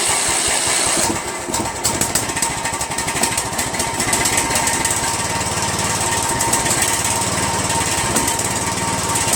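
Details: Poulan 16.5 HP lawn tractor single-cylinder engine after valve check, RTV valve cover gasket, Chinese copy replacing Nikki carburetor and new intake manifold: loud, uneven running with choppy stuttering beats and no steady rhythm; rough running, cause not pinned down.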